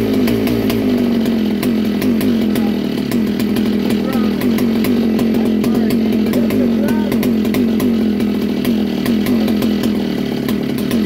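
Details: 1961 Fox Kart with original McCulloch Mac 91 two-stroke on its first start in years: raspy buzz holding a steady high idle, even crisp firing, no misses; running fine.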